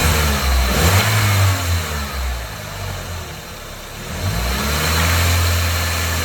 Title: Audi s3 8l 1.8t Engine Rattle Noise